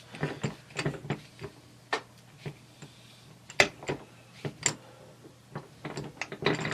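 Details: T96 transmission overdrive on the bench, shaft turned by hand: light, uneven ratcheting clicks with no grind. Normal overdrive freewheel overrun.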